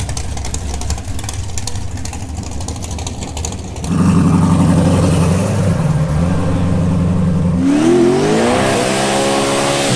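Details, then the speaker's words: Nissan 240SX drag car with built 427 re-sleeved four-bolt 5.3, full-throttle quarter-mile pass of 7.20 at 191 mph: hard pull with uneven, choppy spots in the drone before a gear change; cause unknown, logs to be checked. "so i sound a little choppy i don't know what's going on we'll go check the logs and see what's up"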